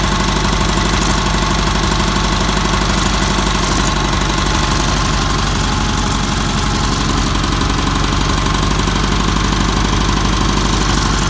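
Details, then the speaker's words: Roper with solid-lifter cam, first running, lash set about 0.008 in intake and 0.013 in exhaust: steady idle with a light, even valve clatter about three ticks a second; normal solid-lifter tick, sounds healthy. "you can hear the valves ticking they all do that that's because they had salt lifter cams and you have to leave the flat tap it's open a little bit so they all clatter a little bit"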